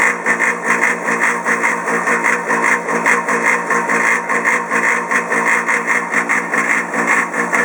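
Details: Polaris PB4-60Q quiet-model booster pump for a Polaris 380 pool cleaner, a few years old: loud, harsh whirring with coarse rough edge and uneven throb two to three times a second, audible over 100 ft away despite an enclosure.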